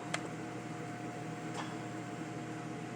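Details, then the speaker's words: Chevrolet with AC compressor relay commanded on and off via scan-tool control functions: two sharp clicks about 1.5 s apart over steady engine hum; compressor clutch engaging normally. "we're gonna go to AC compressor relay we're gonna go on"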